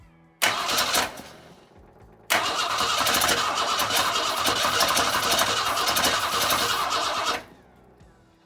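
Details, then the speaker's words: 1962 Ford Falcon inline engine, started with no carburetor and only a taped washer with a quarter-inch hole metering air at the intake: it catches briefly, dies, then runs ragged and uneven for about five seconds before quitting. Rough running; needs a carb. "didn't really work better alright yep I need to get a carb on this thing"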